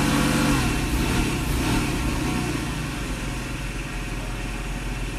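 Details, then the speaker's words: 1995 Mercedes SL500 V8, 108,000 miles, faulty throttle body (rpm drops on acceleration); drops from a rev to a smooth, even idle with steady low beat, no misses or knocks; idle fine. "As you can see, idle is fine. All right. Pretty much exactly where it has to be."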